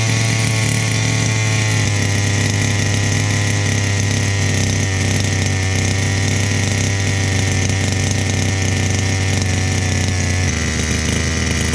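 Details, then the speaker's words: Chung Yang 23cc two-stroke RC engine, customer's no-start unit, fixed and run outside its chassis, warm idle: loud, steady buzzing idle, even beat, no misses or knocks; still running rich, carburetor due for refurbishment or replacement. "so it's still pretty rich it's obviously going to get another carburetor so I'm not going to set my carburetor according to this thing settings but engine is running I'm happy"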